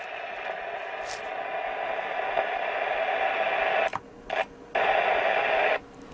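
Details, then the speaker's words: Hacker Herald RP30 radio during alignment with signal generator and oscilloscope, after IF board repair: steady hissy tone with crackles and brief dropouts while tuning; reception scratchy, cause not pinned down. "it's a bit scratchy I wonder if we've got a bit down the far end of the scale"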